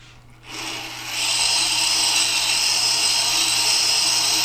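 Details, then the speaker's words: Tormek T-8 sharpener, grindstone after truing pass with support lowered one micro-adjust turn: bright, steady scratching stays even all the way round with no rhythmic catch; stone surface now level. "now you can hear a consistent scratching as the surface is the same level all the way around the stone"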